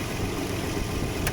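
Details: 1995 Nissan D21 Hardbody VG30E V6 after bypassing the faulty AAC/AIC idle air valve, whose plunger stopped working properly and caused surging between 1,000 and 2,000 rpm. The low idle is now steady with no hunting or surge.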